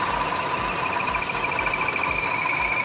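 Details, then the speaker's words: Buick Encore Ecotec 1.4L idling with a steady high chirp/whistle that got louder when the PCV was covered by finger; faulty PCV valve suspected as culprit, with high long-term fuel trims and check engine light. "So right away, and you can hear that chirp. If I was to go ahead and stick my finger right on the EGR, or excuse me, the PCV, should quiet down."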